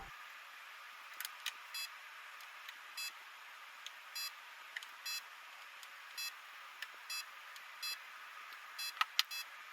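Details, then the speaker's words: Renault Clio V6 parked, quiet cabin: each radio button press gives a soft click and short high confirmation beep, about nine in ten seconds, a normal design quirk. "And next up, another bizarre French car quirk on the radio. Every time you press a button, it beeps."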